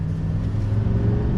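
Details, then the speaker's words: 2020 Chevrolet Silverado 2500HD, 6.6L turbo diesel, 445 hp, 10-speed automatic, acceleration test on throttle: low smooth rumble building with no knock or clatter, very little turbo diesel sound, smooth shifting; healthy. "down very smooth shifting I'll tell you that much but it's quiet you're really not getting a lot of turbo diesel sound"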